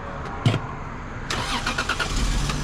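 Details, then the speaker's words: Cheap Lexus GS300 that starts and runs, then dies a few miles down the road. Engine catches with a sharp burst, drops back, then sputters through a rough low rumble as it struggles to keep running. Hard start. "come on come on kitten give her give her the talk nice to her sounds like she's dying"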